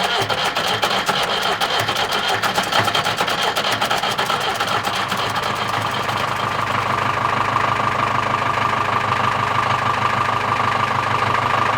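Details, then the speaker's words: Old tractor being fired up after draining milky, water-contaminated hydraulic fluid and refilling with reused hydraulic oil to flush it; it doesn't like to run at the moment. Uneven diesel clatter with stumbling beats, roughly 150 a minute, later settling steadier: rough running. "and then we're gonna fire it up again, which is not always easy. This old tractor doesn't like to run at the moment."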